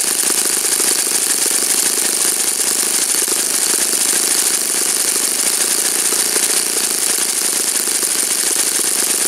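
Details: Saito FA-56 four-stroke glow engine, first run after teardown, cleaning and bearing replacement; apparently moderate-time engine on 12x6 prop, OS F plug, 5% Omega fuel. High steady buzz at constant speed, no sag or sputter; normal running.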